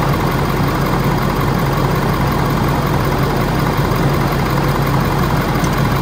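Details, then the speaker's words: Ford F450 Power Stroke diesel, cold after new serpentine belt, warming up: deep, steady idle with even clatter, no squeal or chirp from belt drive. Normal idle. "Bottom of the range, but she's cold. Let her warm up a little bit."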